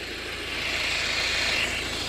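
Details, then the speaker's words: Volvo V50 1.6 diesel with a high-pitched whine that appeared over the last couple of thousand km: a steady hiss and whine at idle, heard with a mic on the belt tensioner, shows bearing noise; the alternator side sounds less bad. Tensioner and alternator were then replaced. "I have a mic here, so definitely some kind of bearing noise there."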